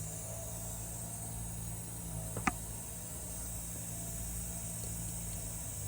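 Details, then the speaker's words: 2017 Mercedes E300 M274 engine, 88k miles, misfire on cylinder 1, leak-down test losing about 30 PSI: steady airy hiss at the PCV valve as air escapes into the crankcase; rings or cracked piston suspected, unconfirmed. "I can hear the air coming from the PCV valve that's how I know it's escaping into the crank case so that's it guys the compressed air was going into the crank case that proves that cylinder 1 had issues"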